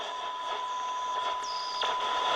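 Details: Soundesign 2422 radio after recapping, on a 6 V supply with a signal generator on AM: clear, steady whistle well above faint hiss; the test signal passes strongly, so the IF stage works.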